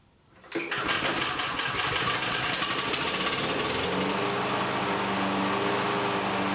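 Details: Exmark EC21KA mower with a Kawasaki FJ180, mowing in a backyard: catches into a fast, slightly uneven putter and dies down when hitting bumps; owner suspects a sticking carburetor float or a compromised fuel system; engine dying under load.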